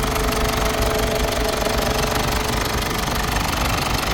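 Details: Mazda BT50/Ford Ranger common-rail diesel, previously knocking and hard to start, after injector repair and adjustment (cylinder 2 return valve set replaced): steady, even idle clatter about four beats a second, no knock. Normal diesel idle.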